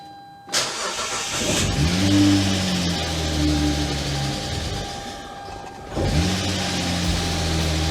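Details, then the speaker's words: Wrecked car after new parts, belt and belt tensioner fitted, charging restored: cranks, catches and stumbles, then an uneven, clattery, tractor-like idle because there is almost no oil in the engine. "But if you're wondering why this thing sounds like a tractor, well, it's kind of a funny story actually. There's no oil in the engine."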